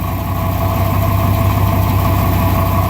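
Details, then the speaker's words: 1999 Dodge Ram idling: fast, uneven metallic clatter over the low exhaust drone, something loose inside a failing catalytic converter with no visible hole; sounds like bad valves. "you see it comes back you hear it sounds like something is loose going like this inside and it really is something loose inside but this is what it sounds like"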